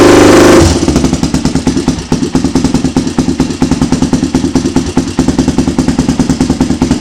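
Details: Honda 400EX ATV being rebuilt: loud, even single-cylinder thump around three beats a second, steady and strong with no misses; sounds good. Normal running.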